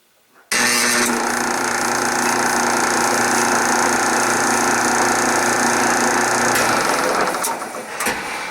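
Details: 1976 Westinghouse electric dryer, 43 years old, camera on floor: steady slightly rough motor drone with constant hum and hard starting; worn bronze motor bushing lets shaft move and tilts pulley so belt rides to pulley and idler edges.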